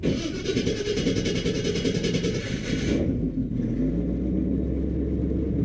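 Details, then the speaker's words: 1975 Chevy C10, 350 small-block V8, after replacing the starter with an upgraded GM12563829 unit, no shims: quick, clean crank with no grinding, starts without pedal pumps and settles to a steady idle; normal start. "fact it started without any pumps I don't know how that happened normally doesn't do that but it started good no [Music] grinding"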